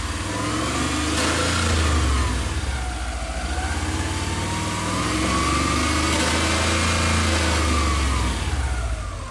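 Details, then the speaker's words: Subaru EJ22 after engine reinstall: revs rise and fall with a tinny metallic rattle at higher rpm, first feared to be timing-belt rollers; found to be the exhaust heat shield wedged against bolts; an earlier tick was the hydraulic lifters. "so it's actually nothing to do with up here the noise is coming from the heat shield thank god"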